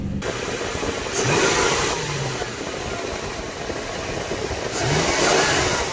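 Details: 1998 LX470 after starter replacement, restarted to check how quickly it starts. Brief crank, then the engine catches and settles into a steady, even run with two short revs; starter engages cleanly and starts quickly.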